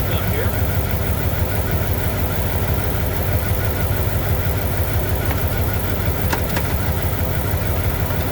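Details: 1998 Dodge Durango single-cam V8, not yet warmed up, idling after timing chain replacement for a P0300 multi-cylinder misfire. The idle is even with a steady low pulse of about three a second and no tapping or rattle. A timing light confirms timing is right on.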